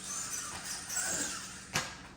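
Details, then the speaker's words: FMS Max Smasher RC monster truck after adding tire foams and 15 weight shock oil: single soft, dull landing thump with no sharp snap or spring-bottoming rebound; suspension now damped. "much smoother it's a softer sound versus that snap when it's hitting before and kind of bottoming the Springs out and just bouncing back now it sounds like it's got a little bit of dampening to it"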